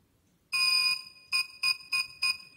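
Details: Xiaomi M365 electric scooter gives one long beep followed by four short beeps, its throttle fault error code. The scooter won't accelerate when the throttle trigger is pressed, and the fix is replacing the trigger.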